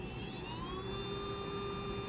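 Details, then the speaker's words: Small motor being revived on a bench, held vertical with brushes oiled: even high-pitched whir rises briefly, then holds one steady pitch with no fast-slow surging; running smoothly at a consistent speed, healthy. "oh that's so beautiful do you hear it guys it's nice consistent sound that's what you want"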